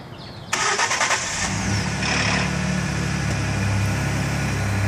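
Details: 2011 Ford F-150 FX4 EcoBoost at 94k miles, cold start: brief harsh metallic clatter, then a steady idle; timing chain rattle suspected.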